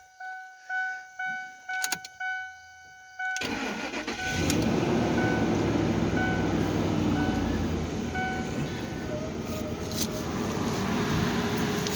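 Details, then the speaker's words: Ford Explorer started after a new belt and tensioner were fitted and the battery reconnected: door chimes, a short crank, and the engine catches quickly and settles into a steady, even idle; the owner thinks he hears a spark somewhere; starts and runs fine. "I do believe it's working around. So, that's a good thing."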